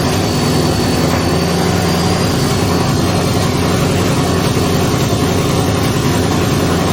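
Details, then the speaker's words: Twin-turbo Ford Mustang build running on a new base tune with no exhaust fitted; loud, steady open-exhaust drone with an even idle, no stumble or misfire. The earlier rough running is gone. "finally it stopped running like dog crap and it actually ran"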